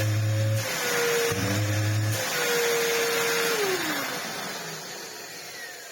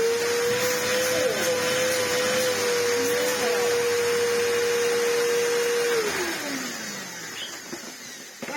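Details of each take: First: Samsung SU-2911 Jet Propel Light bagless vacuum cleaner, after cleaning the dirty filter: rushing motor airflow with wavering mid-pitched tone and low hum bursts winding down; abnormal noise coming from the motor itself, cause unclear. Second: Samsung SU-2911 Jet Propel Light bagless vacuum after its filter and air path were cleaned: a steady motor whine at one pitch with an even rush of air, then a smooth wind-down; the earlier weird noise with the airflow blocked is gone.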